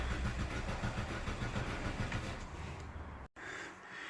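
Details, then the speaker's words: 2006 Vauxhall Astra 1.4 petrol, crank no start on a battery booster pack: starter cranks steadily and fast for three seconds, engine never catches; no fuel delivery, pump fuse blown and pump not connected. "put my battery booster pack on turn the ignition on see what happens still nothing"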